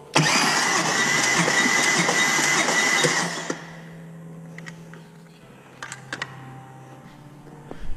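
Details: Salvage Audi S6, new starter, compression test, starter energized with 12 volts via power probe; cylinder reads about 280 psi (about 225 thought to be healthy). Starter whirs about three seconds, even pulses near four per second, no skipped beats; compression healthy.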